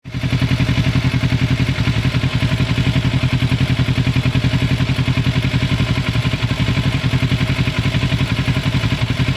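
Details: 2006 Kawasaki Ninja 650R running: quick, even tick about four per second over the exhaust; owner unsure whether it is normal or needs fixing, source not pinned down.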